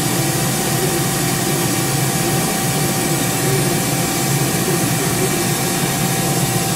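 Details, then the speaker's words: Live tool gears on a 2005 Mori Seiki 1500SZ turret, turned on manually at 6,000 rpm to check the gears inside: steady high gear whine over a constant hum, a little noisy but even and healthy. "so you just manually go through that that's fine that gets a little noisy at 6,000 it's okay I got it I'd rather hear the noise and and and know that there's no"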